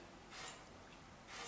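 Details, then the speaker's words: Bicycle disc brake on a hand-spun wheel: faint scraping swish about once per revolution as the warped rotor rubs the pads, with more pad gap on the right than the left; the fix is truing the disc, then centring the caliper. "Et là on va se rendre compte qu'on a un voile, tac, tac, tac."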